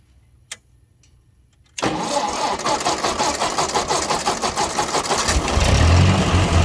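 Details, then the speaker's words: 1957 Ford 841 tractor after fitting a replacement Chinese carburetor: quiet, then cranks and catches, settling into a steady, even idle with no misses; doesn't sound too bad, tachometer needs fixing; normal running. "it actually doesn't sound too bad i gotta get the tachometer fixed"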